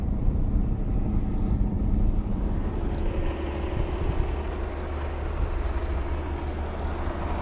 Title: Ford Probe GT 2.5 V6 1994 Engine knock when cold due to worn timing belt tensioner.